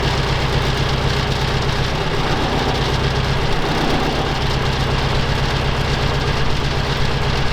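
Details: Soviet UAZ 469 with carburetor, first start after sitting about a month and priming: lumpy, loping idle with missing pulses, running on only two of four cylinders; later overhauled to electronic ignition.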